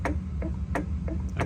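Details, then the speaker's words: Honda S2000 AP1 with ACT clutch, new OEM AP1 slave cylinder and AP1 flywheel; mic under car beside release bearing, pedal held down: sharp ticks about three a second over low hum; dry release bearing. "Yes, you can hear it as clear as day in here, George. So the release bearing is behind here, and basically it's just dry in that spot for the bearing."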